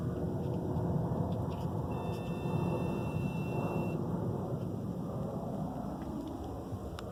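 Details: 2017 Dodge Charger Scat Pack 392, parked with engine off: steady low whirring rumble with a brief faint high whine; starting the car stops it, but it returns a while after shutdown; car runs great; owner suspects some diagnostics being run.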